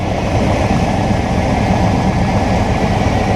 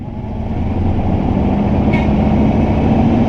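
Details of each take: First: Truck started after two years sitting, revving to 4,500 rpm: loud rough idle with raspy, breathy roar, no knocking. Exhaust leak toward the back of the truck. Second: Newly bought V8 truck, first start after about 2 years not running, check-engine light on: catches cleanly and revs smoothly to 4,500 rpm with no misses or knocks; what looks like an exhaust leak spotted at the rear afterward.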